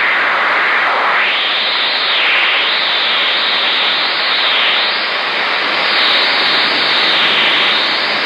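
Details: 10-meter Magnum 257 HP mobile rig on a 15th-floor oceanfront balcony, Garden City Beach, South Carolina, often after a frequency change. Loud hiss swooping down and back up about every two seconds. Owner suspects a rotating radar sweeping by; origin unknown.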